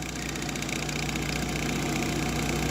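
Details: GE refrigerator condenser fan motor running: steady motor hum with a low rough drone and faint rattle building slightly, motor stopping and restarting; excess shaft play lets it wobble, worn bearing noise.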